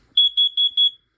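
Four sharp, high-pitched beeps about a fifth of a second apart, then silence; the smoke alarm is sounding normally on test.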